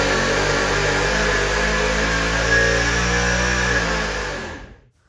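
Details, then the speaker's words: Supercharged 483 big-block Chevy V8 on dyno, back on crank trigger at 28 degrees timing: loud, rough, uneven note at high revs before shutting off; runs badly, likely because the crank trigger was loosened fitting the water pump lower hose and spun. "What we think happened was by trying to shove it on, we somehow loosened the crank trigger and it caused it to spin while making runs."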